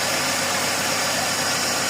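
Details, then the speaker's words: Toyota Previa previously with no idle and hard starting, restarted after repair: steady, even idle behind heavy hiss with no sagging or dying out; now holds idle on its own, normal idle. "So ngayon try mo start after magawa ito na [Musika] hindi na siya namamatay nag-oral na siya Okay na"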